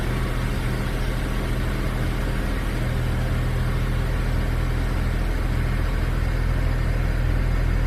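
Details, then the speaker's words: 2008 BMW 335i E90 after an EKPM2-to-EKPM3 fuel pump control module upgrade for long cranks: an instant cold start, then a steady, even low hum with no stumbles. Exhaust valves open as it warms; normal idle. "all right so that's on steady idle there exhaust Val's open so it's warmed up"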